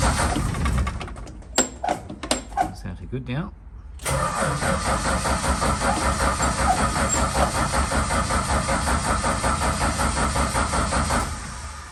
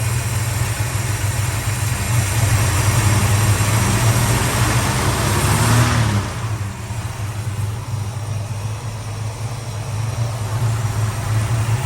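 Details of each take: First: Valiant Charger VH during restoration: several cranks and catches, runs roughly about seven seconds then dies; fires but stalls, suspected running out of fuel. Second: Valiant Charger VH engine restarted after sitting about a month: steady, low warm idle hum with one brief dip and recovery; it idles evenly but still blows smoke when hot.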